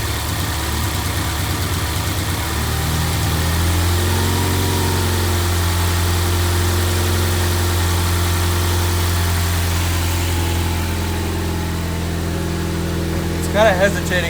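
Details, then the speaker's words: Ford Ecoboost, first start after a full teardown with the battery disconnected, possibly on an open downpipe: idle hunts, trying for about 900 rpm but sagging to 750–600 and recovering; rough idle. "little bit but it seems to be smoothing out it might just be because it hasn't been started in a while"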